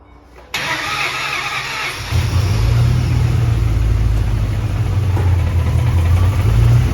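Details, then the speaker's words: Ford Mustang GT from auction, newly installed replacement engine after repeated failures, first start: brief crank, catches and settles into a deep even V8 idle with steady lope, no knocks or ticks; sounds healthy, normal idle. "it's running yeah sounds healthy it's idling oh my gosh this is running yes"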